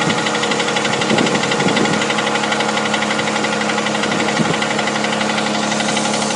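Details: 6GEA engine at steady idle: light tapping knock about twice a second riding over the engine note; engine knock, source not pinned down.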